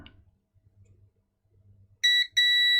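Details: Nintendo Game Boy Advance (bought faulty, wouldn't boot) under board-level repair after replaced SMD parts: quiet handling, then a clean steady high multimeter beep, briefly broken and resumed as probes touch; continuity confirmed, connection good.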